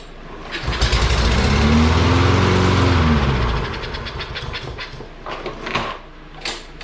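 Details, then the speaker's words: Free Lawn-Boy mower with Kohler engine that cut out while mowing runs about three seconds on starting fluid, then sputters and dies; fuel tank full, so fuel delivery fault, carburetor removed next. "Alright, so that proves the theory that it does run with gas, but it's obviously not getting gas."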